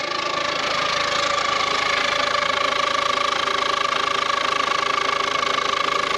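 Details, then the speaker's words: Ford Courier with Peugeot/Citroen engine at start-up: steady idle with constant metallic whirr and fast regular tick; suspected fan belt, timing belt, water pump or alternator, unconfirmed; unidentified noise at idle. "what that noise the fan belt hope it's not the timing belt I can't see any I can't see any marks on the timing belt so what the hell is that noise m could be the water pump"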